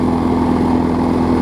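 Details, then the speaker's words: 2012 Bolens push mower with Briggs & Stratton 500 series engine, after stretching the governor spring because it ran slow: steady, even buzz at constant speed, no surging or misses; normal running. "hopefully we'll have a good runner all right now we're running much better"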